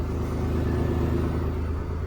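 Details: 1999 Ford Explorer after fuel pump replacement through an access hatch: steady, even low idle rumble with no knocks, ticks or misses; runs smoothly.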